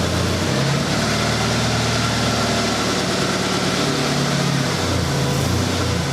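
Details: 1996 Honda Accord after completed head gasket job, first run in about a month: smooth, steady four-cylinder idle with even low rumble, no misses, knocks or hunting; normal idle.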